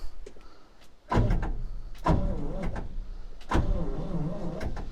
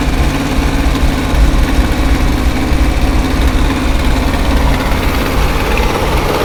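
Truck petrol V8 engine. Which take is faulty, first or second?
first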